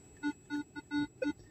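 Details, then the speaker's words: Minelab 600 metal detector, about three years old: erratic beeps, five in under two seconds, jumping in pitch with no target present; falsing caused by a cable broken internally under the coil's protective sheathing, fixed by buying a new coil. "Why am I getting so many sketchy signals? It's because your coil's broken internally underneath the guard."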